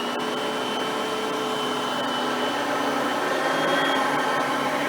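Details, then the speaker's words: Oreck XL Platinum lightweight bagged upright on high speed, picking up crushed stale chips: steady high-pitched motor whine with even airflow rush, no rattles or surging. Normal high-speed running, quiet vacuum. "and as you can hear both are pretty quiet vacuums for being that there a"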